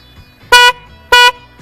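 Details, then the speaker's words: 2008 Nissan Versa with new Maxi Sound replacement horns, old horns disconnected after the originals kept blowing the fuse: two short, loud, clear blasts about half a second apart, strong even tone; a big difference, healthy working horn. "That's a big difference. That's a big difference."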